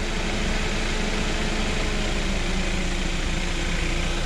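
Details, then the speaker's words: Chevrolet Spark/Beat after replacing the radiator fan low-speed resistor (GM 96656660): a steady, even whoosh of the cooling fan holding on low speed over the idling engine after high speed cycles back. The fan now works normally. "está ahí se debe de mantener en Baja velocidad y ahí está amigos ya se mantiene en Baja velocidad ya entra a las temperaturas que debería de entrar"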